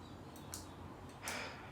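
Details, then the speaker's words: Gloria ceiling fan running on low: slow soft whooshes under faint ticking, turning far too slowly and vibrating through the blades. Owner expects a new two-wire capacitor will help; cause not confirmed. "this is horribly slow i hear it all through the blades it's so loud all right that is a very slow low very slow it's vibrating through the blades"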